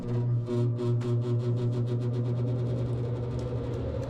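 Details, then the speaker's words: After replacing the noisy blower with another new motor on the same Titan capacitor, on low speed: a steady low hum with a faint even flutter and no scraping or squeal, a more normal level. "That's more normal level. We can handle that."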